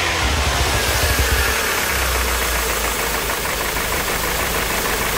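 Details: Hyundai NF Sonata, described as a used car in poor engine condition and unsold, idling with a steady tapping knock of about three to four beats a second from inside the engine. Engine knock at idle.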